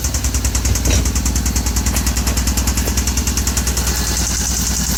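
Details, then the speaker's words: 2014 Hyundai Veloster Turbo, freshly rebuilt engine at idle: sharp regular knock about three per second, heavy in bottom end, suspected cylinder number two; owner thinks overheated piston, sounds like rod bearing; brake pedal plug unplugged. "This is the sound that it's doing. We're thinking is a number two. Um, while it's doing that sound, um, for me, I think it's above heated piston or something like that."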